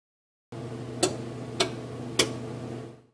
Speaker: When the oven heats, you may hear a clicking sound. This is the sound of the circuit relay operating.